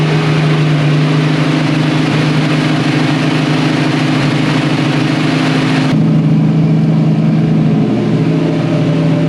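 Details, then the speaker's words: 1965 Mustang inline six, next-day start: idle with an uneven, stumbling beat and dropped pulses, still missing though better than before. Ignition timing suspected but not yet checked. "Went all right, but still missing."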